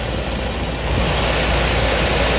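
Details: Toyota 22RE truck, AC off, idling steadily high at about 1700 rpm whether cold or hot. Once coolant temperature reached mid-gauge, the idle became erratic, with smoke and coolant found under the hood. Cause not yet pinned down.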